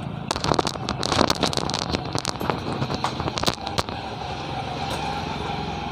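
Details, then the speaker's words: Honda Scoopy FI scooter that earlier started easily but ran very rough under throttle, like valve or camshaft noise, ignition cutting in and out: cranks with ragged crackling pops that never catch, then a steady whir; won't start, cause unconfirmed. "Jadi kalau sekarang dia nggak mau lagi hidup ya. Jadi sekarang nggak mau lagi hidup, dia sudah susah hidup."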